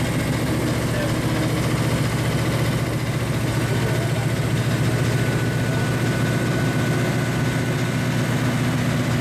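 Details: 1935 Chevy Master with newly installed 409 stroker V8, first start-up on jack stands; oil pressure and temperature good; steady even idle with regular low pulse, no knocking or misses; sounds cammed; normal idle.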